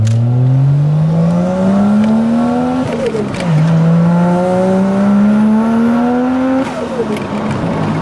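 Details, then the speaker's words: Car with mechanical throttle swapped in for the electronic one, tachometer not working: revs climb steadily under full throttle, then the note drops abruptly and stumbles twice with pops; power cuts out under hard acceleration, owner suspects fuel cut. "that's good that's good but that would pop I'm just get much fuel cut"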